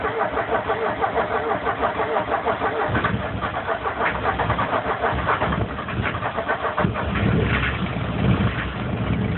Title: Mercedes 240D Rough Idle